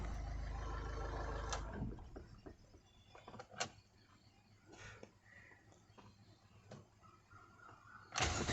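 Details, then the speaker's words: Ford TDCi diesel (Fiesta/Figo/Ikon) after timing belt and V-belt replacement: runs, shuts down, then restarts almost instantly on a half-crank, showing healthy starting and correct timing. "हैं तो गाड़ी आधे self में start हो जाती है"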